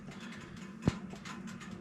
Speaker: And I don't know how well it's picking up on camera, but you hear there's a lot of ticking, the sound of the metal heating up. I like that sound.